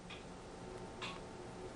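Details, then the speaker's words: Antique grandfather clock, anchor escapement: two crisp ticks about a second apart with evenly spaced tick and tock; the clock is in beat. "What you can hear here is an even tick and tock. So this is pretty much in beat."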